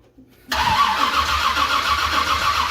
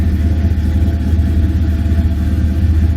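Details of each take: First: 1978 Ford Courier with a 351 V8 and double-pumper carb, cranked on a new starter: steady, even cranking but it never catches; no fuel reaching the empty carb, and the rear accelerator squirter is not squirting. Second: 1978 Ford Courier with a 351 V8, warming up toward normal temperature: a loud, choppy, loping idle over a deep exhaust rumble, with the engine shaking noticeably. The engine is known to run hot.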